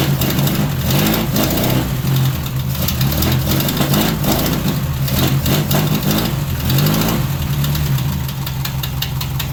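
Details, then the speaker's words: 1978 MG Midget 1.5 with side-draft carbs, sat neglected for years, starting after slow cranking; owner suspects a weak starter; engine catches and stumbles into an uneven, knocky, surging idle on first start. "Maybe the starter's just so weak it's not turning very well. There's something wrong with the starter."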